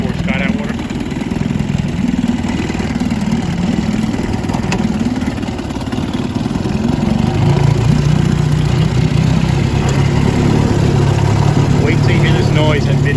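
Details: 1950 Scott Atwater Corsair 7.5 antique outboard with untouched original powerhead, under way on the water: an uneven, wavering drone that shifts pitch with throttle, rough in mid-range; owner suspects the two-piece drive shaft is flexing in mid-range.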